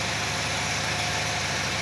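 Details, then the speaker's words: Nissan Qashqai, engine running in gear with handbrake on and a front wheel spinning freely: faint steady whistle clearly from the front wheel hub over idle and wheel hiss; disassembly still needed. Wheel hub whistle. "крутится Вот это и всё и смотрим Ага свист идёт отчётливо слышно с передней ступи"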